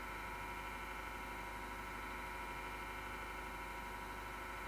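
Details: MSGW Plutos PC power-supply fan with a steady, harsh whirring grind and buzzing tones, with vibration that can be felt; the worn fan bearing has been grinding since December 2015.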